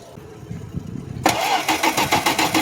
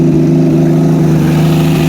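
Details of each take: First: 1972 Plymouth Valiant, cold start on a weak battery through wimpy cables: slow, uneven cranking at about 3.5 turns per second that never catches, with no fuel pressure yet. Crank, no start. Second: 1972 Plymouth Valiant six just after a cold start, recorded near the exhaust with no coolant in it: a steady, strong, even drone held at raised revs with no knocks or misses. Normal rev; that's how it's supposed to sound.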